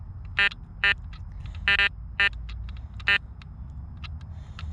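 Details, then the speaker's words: Garrett Apex metal detector in Relics mode with iron audio off, coil swept over a silver 1964 dime placed among iron targets. Short high beeps at irregular moments over a low hum, sounding neither like a coin nor a screw or nail; ambiguous target tone. "now it doesn't sound like a coin but it doesn't sound like a screw or nail either"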